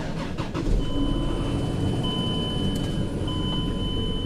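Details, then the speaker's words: 2004 Chrysler Pacifica: engine catches and runs with an uneven beat and a faint steady whine; misfire persisting after a coil was suspected, actually caused by a bad wire in the harness, to be fixed by splicing. "yep yeah definitely still has the misfire chickens and line ain't going away from nothing"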